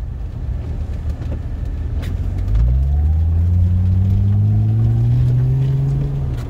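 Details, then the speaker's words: Jeep ZJ Grand Cherokee with 42RE automatic, after exhaust pipes, cat and muffler were welded back in, on a test drive: engine pulls smoothly, clean quick gear changes with no flare or slip; earlier 42RE slipping appears solved, normal shifting. "The General is changing gears well. It's shifting well. I think we solved the slipping of the 42RE."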